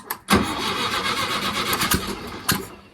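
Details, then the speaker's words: VW Wizard on ramps, out of gear, no fuel tank fitted, no accelerator cable, no exhaust: loud starter churning with a few sharp pops but no steady firing; cranking with no fuel supply. "There's no fuel tank. I just want to see if he coughs and splutters. There's no fuel tank in until tomorrow."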